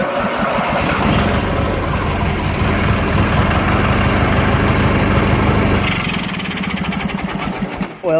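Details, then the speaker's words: 1990 Craftsman GT6000 with 18 hp opposed-twin flathead, started on choke on a cold day, runs rough and hunts up and down, then sags and dies; surges at top speed, and richening the mixture screw once helped; cause not confirmed. "but usually I can get to rev up to tip speed and it'll stay up there and it'll just surge sometimes"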